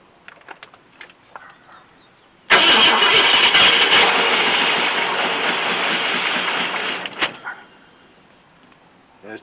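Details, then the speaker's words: 1966 Ford Thunderbird FE 390 V8, first start attempt in 13 years after adjusting points: cranks hard and tries to catch, then a sharp pop; timing suspected off; backfire through carburetor. "i'm not sure sure about that timing back flying through the carburetor that's a lot though"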